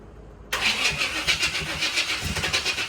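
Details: Newly bought C4 Corvette, light throttle: starter cranks in quick even pulses with a ragged fire or two that never picks up into a running idle; cranks but won't start.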